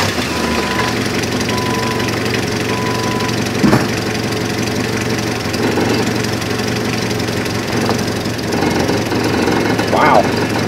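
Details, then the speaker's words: Hard-starting old Jeep just started with a portable jump starter pack: steady, even low engine drone with a couple of handling clicks, no misses or knocks; normal idle. "i think it's so light it doesn't feel like anything inside that box but as you can hear the old jeep is running wow"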